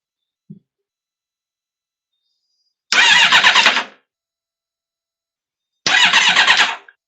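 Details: 2002 Triumph Speed Four with a no-start: two short cranking bursts of about a second each, and the engine spins freely but never fires. Injectors do not seem to pulse; wiring, crank sensor or ECU are suspected, not confirmed.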